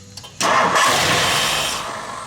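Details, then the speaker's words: 1964 Mercury Montclair, Ford FE 390 rebuilt with cam and intake kit, first start in about 40 years, fed from a boat tank. It catches with a roar, runs rough briefly, then dies when the key is released; the timing is still being set. "Yeah, it acts like it's dropping off with the key."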